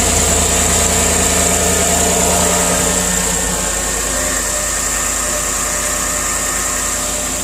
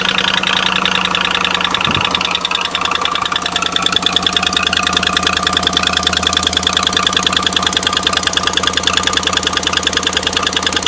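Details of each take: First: Chevy Silverado V8 after an exhaust manifold leak that caused cold-start noise was fixed with new ARP manifold bolts and anti-seize on the passenger side. It now settles into an even, quiet idle with no ticking or puffing: normal idle. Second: Bought-used 2016 Chevy Silverado, cold start idle. Sharp, even, crisp ticking about three per second that goes away once warm. Exhaust manifold leak from broken studs on the passenger side, toward the back, to be replaced.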